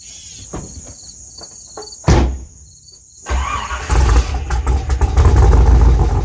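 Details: 1987 IROC-Z, after loose bolts caused a steam leak were tightened; quiet, short crank catches around three seconds and settles into steady rumbling idle; normal cold start.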